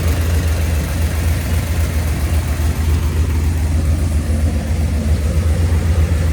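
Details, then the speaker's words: V8 idling about 900 rpm with vacuum advance hooked up (about 14° initial, 34° total). Deep, steady, even burble; the lifters are quiet, with no tick or knock and no blow-by. Normal idle. "Pretty impressed at how quiet these lifters are. Got no blow by."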